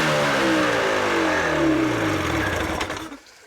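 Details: 1983 Evinrude 50 hp outboard with carbs wide open and lost motion in throttle linkage (lever has no effect on idle): catches and keeps climbing in pitch about two seconds without settling, then killed; near-runaway overspeed.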